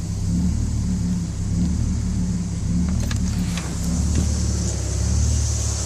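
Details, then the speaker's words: BMW 330i after days of rain, not responding to throttle: low uneven loping idle about once a second, stumbling; misfire from bad spark plugs and moisture on ignition coils. "when i finally started taking things apart i discovered some moisture on coils and of course bad spark plugs"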